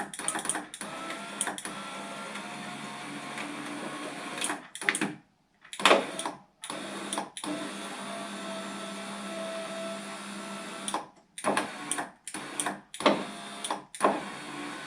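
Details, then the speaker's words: 2004 VW T5 Kombi passenger electric window, slow and noisy, motor run on loose temporary regulator with springing cables before a proper kit: steady motor whir with rattling springy cable clatter; works but temporary. "well it's working I don't like the way these are springing around oh God but this will do us until we um we get a proper kit"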